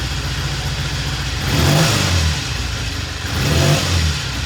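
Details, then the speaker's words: 1960 Triumph 350cc 3TA twin blipped twice from a steady idle, revs rising and falling cleanly with no knocks or misses; the ammeter flares showing charging, good oil flow, ready for a road test. "it's ready for a road test as soon as we get a um a new battery sounds really good got good oil flow we checked it"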